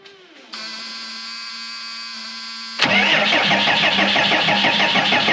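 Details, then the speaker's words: Cummins 6BT in old Oshkosh plow truck, first start in 10+ years, coolant not yet filled: about two seconds of steady cranking, then clean catch into an even diesel clatter; healthy start. "now that part was almost too easy uh I didn't want to leave it running too long because uh want to get the coolant in there but looks like we got a runner"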